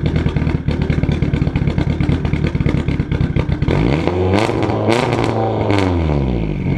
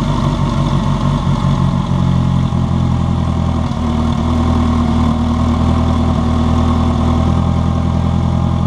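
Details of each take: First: Budget race car project at first startup, microphone at the exhaust, turbo recently installed with oil in the turbo; rough pulsing run, revs sweep up and fall with loud pops as they come down, idling around 3,000 rpm. Backfire and high idle, cause unconfirmed. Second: Turbocharged project race car, first start after a new O-ring on a leaking injector: steady, even low idle with a constant hum and no misses or ticking; turbo spinning, no fuel leak, healthy.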